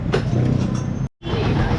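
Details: Raider 150 after crankcase and clutch housing rebuild for a knocking noise, oil refilled: steady low engine note with no rattle or clatter, just a brief dropout; knock gone, bottom end sounds quiet and healthy.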